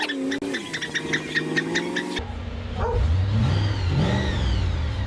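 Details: Holden one-tonner ute after conversion to an EFI 304ci V8 with 4-speed transmission, rewire and new ECU, arriving under power: deep V8 rumble rising, firing evenly with no misses or knocks; normal V8 running.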